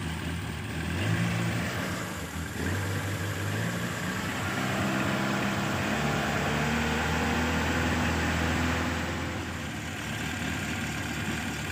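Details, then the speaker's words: Petrol engine after removal of the disabled fuel solenoid needle, ignition timing set to 8 degrees BTDC and battery charged: starts at once and idles steadily and evenly with no sputter or misfire, normal start and idle. "Insya Allah di starter langsung hidup dan suaranya bagus tidak brebet dan ketika digunakan tenaganya dapat ada tenaganya maksimal"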